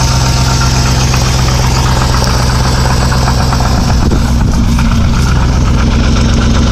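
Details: 2005 Chrysler 300C with the 5.7 Hemi at idle: a loud low idle with a rapid, fairly even knock riding over it, about four per second. Engine knock, cause not yet pinned down.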